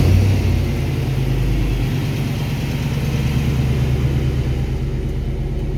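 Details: 1999–2007 GMT800 GM truck (Silverado/Sierra/Tahoe/Yukon) after fixing a no-crank fault: low, steady rumble settling into an even idle with no misses or knocks. Normal idle.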